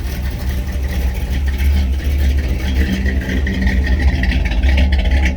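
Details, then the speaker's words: 1957 Chevrolet Bel Air 283 V8 at idle: lumpy rumble with a faint ticking puff over it, an exhaust leak on the manifold near where the old-style distributor and intake hook up. "Sounds like it's got a little exhaust leak under here. Oh yeah, it's got an exhaust leak on the manifold where the distributor hooked up."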